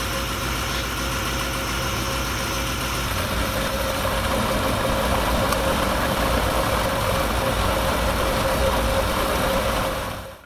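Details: Ferrari 308 with carburetors still awaiting balancing, testing radiator fans after cleaning dirty fan-switch contacts: steady, even idle with smooth low exhaust beat, no misses or knocks; healthy settled idle.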